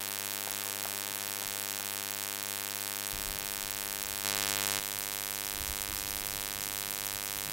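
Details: Steady even mains-style hum with a fine buzz, never changing, in ShadowPlay-recorded audio; constant electrical buzz of unknown source, owner asking how to fix it.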